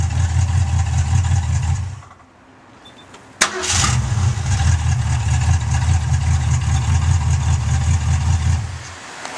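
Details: 1966 Ford Mustang after replacing the points and condenser, which caused the no-run: engine shuts off then fires straight up after a second and settles into an even idle; starts cleanly.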